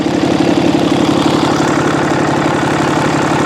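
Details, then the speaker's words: EGR-deleted diesel truck at idle: even, steady clatter with a regular beat and no misses or knocks; it runs fine, though a little coolant and oil smell is noticed. "Run's good I smell a little bit of coolant I smell a little bit of oil"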